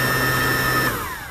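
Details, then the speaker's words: E-flite 1.2 m Spitfire RC plane electric motor, bench-tested at full throttle on a readout: steady high whine holds briefly then winds down and shuts off on its own, as it did in flight; battery voltage dropped rapidly, hitting low-voltage cutoff, causing crash landing. "can see it just shut off on its own that's full throttle and it just wound down and shut off on its own and that's what I was experiencing in the air"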